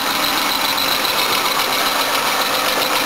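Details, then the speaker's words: 1984 Toyota Cressida, tired engine, cold start and warm-up at idle: a thin high chirp pulses over a smooth idle. Worn drive belt slipping; water quietens it briefly and new belts are needed. "All sorts of noises. That's making some noise. That belt's noisy."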